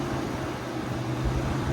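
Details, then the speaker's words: Mitsubishi Lancer: constant even whoosh and hum of the electric radiator fan still running with the key off; temperature sensors check out OK, faulty fan switch. "There you go, see how it just runs. Even with the key off, it's still running."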